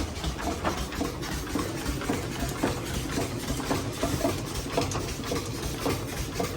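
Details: 1878 steam engine powering the 1896–97 Larson flour mill at Old Mill State Park, Minnesota, on a test run: steady, even chuffing a little under two beats a second over a low mechanical rumble; runs healthy and smooth.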